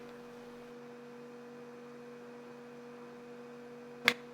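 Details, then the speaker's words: HP 8563A spectrum analyzer whose own attenuator gave no clicks, fitted with the pin-compatible attenuator from an 8560A. A single crisp relay click over the instrument hum, and it clicks again on changing attenuation: normal attenuator relay operation. "Ah, did you hear that? As soon as I plugged in the 8560A's attenuator, it clicked."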